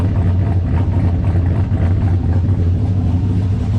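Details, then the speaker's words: 2003 GMC Sierra 2500 HD, LQ4 6.0 with Texas Speed 224/228 cam and heads and a new Huron Speed turbo kit, first start, not yet tuned; deep, choppy cam lope about a beat a second, rolling evenly at idle, normal. "Everything sounds good. Sounds good out of the exhaust. Even though it's not really tuned yet for this stage of it."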